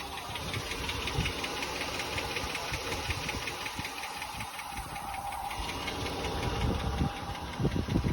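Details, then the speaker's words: Jeep Grand Cherokee heard from underneath: a light, irregular ticking over the low engine rumble. The owner suspects a small exhaust leak near the resonator after bottoming out, but the exhaust shop insists there is no leak. "It sounds like it's coming from right here. But the exhaust shop insists that there's no leak in the exhaust."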